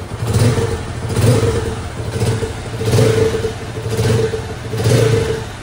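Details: Loncin Pro 200cc Chinese single-cylinder motorcycle after rebuild for engine knock, oil consumption and smoke, with new cylinder, piston, rings, pin and air filter: revs blip and settle roughly every second, picking up cleanly with no knock; healthy.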